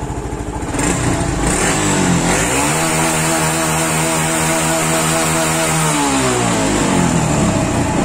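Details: Honda Pop 110i motorcycle after repair of misfiring and power loss that killed the engine at 40–70 km/h: engine revs up, holds a steady high rev, then drops back smoothly without stumbling, now running normally.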